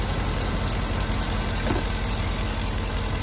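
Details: Engine with a squeaking serpentine drive belt, after 3-in-1 silicone lubricant was sprayed as a temporary fix, restarted and idling. Steady even idle with a low rumble and no squeal or chirp from the belt: normal drive belt.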